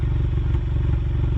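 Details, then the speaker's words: Ford Mustang EcoBoost recorded at the exhaust at idle: a deep, lumpy, uneven beat with a sharp stumble, a low-RPM misfire that began when the weather got cold and was later believed to come from aftermarket Accel spark plugs; it ran fine on factory plugs. "All right, I just want to go ahead and record a little bit here of the exhaust, because you can easily hear it and easily tell there is something very wrong."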